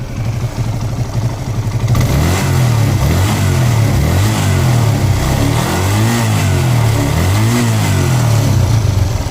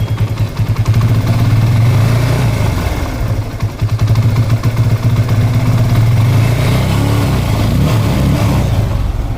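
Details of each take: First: TVS Apache RTR 180 single-cylinder motorcycle after a carburettor diaphragm change for misfire, low pickup and mileage issues: revs up and down cleanly from idle, pulling smoothly without stumbling or misfiring. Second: TVS Apache RTR 180 motorcycle, engine blipped: an uneven, stumbling beat and sluggish rev rise, with misfire, low pickup and mileage issues. A faulty carburettor diaphragm is suspected and is being replaced.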